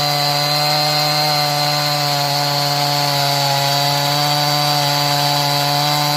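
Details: Stihl MS180 C 32cc chainsaw after low-speed screw opened 1/8 turn, cutting wood: clean, steady full-throttle buzz; it tends to bog slightly under pressure when cold but runs much better once warm.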